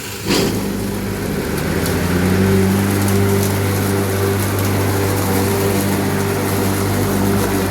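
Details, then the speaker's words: Lawnmower on first test after repair: motor spins up to a steady hum with a wavering, shifting tone as the blade slips on the shaft despite being tight. "okay so um it's not working it started making those noises again and you can see although it's tight the blade is still the blade and the the shaft are not spinning at the same time"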